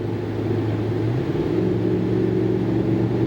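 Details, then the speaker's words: 2013 Dodge Ram 5.7 Hemi, driving after a spark plug change that seems to have cured a lag and sputter on acceleration: smooth, steady drone climbing evenly with speed, with no stumble, misfire or popping. Normal running. "i'd hear this lag kind of a sputter but now not bad sounds like it did when i bought it"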